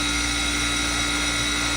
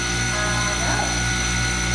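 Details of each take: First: Manitowoc commercial ice machine in a cafe, vent hoods off: loud steady hum with a fixed high-pitched whine and even hiss, no knocking or rattle; running normally. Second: Manitowoc ice machine running: a loud, steady mechanical drone with a rough grinding roar and hum throughout. Cause not pinned down.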